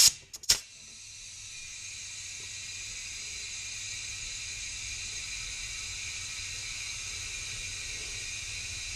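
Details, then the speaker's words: Mitsubishi Evo X boost leak test at 5 psi: after sharp clicks, a steady loud hiss of escaping pressurised air; soap bubbles show a big leak at the diverter valve rubber hose, and a coupler blows off. "Alright, now you guys hear that? There's a giant leak somewhere."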